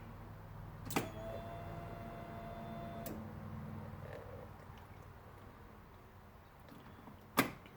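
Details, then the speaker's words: Polaris RZR fuel pump test, first of repeated key turns: sharp click at key-on, faint steady hum about two seconds, then another click — fuel pump priming, clicking attributed to the fuel pump solenoid. "Turn off. You can hear the clicking of the solenoid for the fuel pump there."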